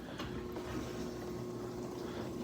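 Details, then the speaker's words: Frigidaire dishwasher in component test mode, upper wash arm step: quiet, steady pump hum with water swishing evenly, no rattles or surging; top wash arm turning nicely, normal circulation. "so let's open this up and you'll see the bottom wash arm you see that moving it's got a good action on it so it regains right in that test"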